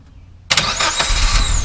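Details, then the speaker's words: Mazda B2000 after installing a replacement starter to fix a no-start: short crank, catches almost immediately and settles into steady even run, no stumbling. Normal start. "that was smooth no I'll say it sounded way better than ordered it before even with the old starter"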